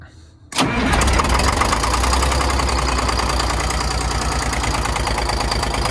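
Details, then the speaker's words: Detroit 6V92 diesel in an MCI bus conversion, cold start despite block heater: catches into rough idle with sharp higher-pitched ticking from a partly lost exhaust manifold gasket leak. "xhaust leak is and listen for the sound it's going to be a higher pitched almost ticking sound and you're probably just hearing more of the valves and all that"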